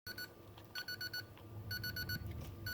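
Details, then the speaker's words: Energizer Recharge Pro (CHPRO) NiMH battery charger error alert: shrill electronic pips repeating about once a second, described as beeping three times with a red light, working only intermittently. "so it's beefing three times and i keep getting the red light on sometimes it works sometimes it doesn't but a lot of times i get that error"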